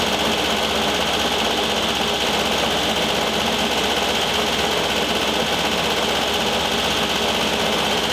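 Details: 1973 VW Thing Type 181 that sat for years, air-cooled engine running: a fast, uneven high rattle over the idle at about four a second. Owner feels something loose in the cooling fan and plans to remove the belt.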